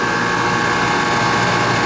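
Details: Refrigeration condensing unit on R22, running after repair for water in the lines and a long vacuum. Steady even compressor hum with fan noise and no knocks or short-cycling; the system is stabilizing and running well.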